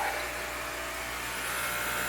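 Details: Jehmco diaphragm air pump for fishroom central air system, PVC piping, no air lines yet, maximum output through diffuser silencer: soft steady airy hiss with faint even hum, no rattle; running quietly and normally.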